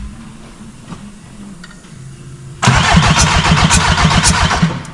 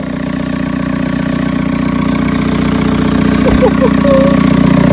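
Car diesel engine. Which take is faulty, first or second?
first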